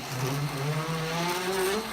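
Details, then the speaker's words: Water line on a test bench as it starts up, with the flow-stabilizing valve beginning to act; rushing flow noise with a wavering, rising tone caused by air trapped in the line. "right now you're hearing that noise that noise is the air in the lines and now the valve is beginning to work"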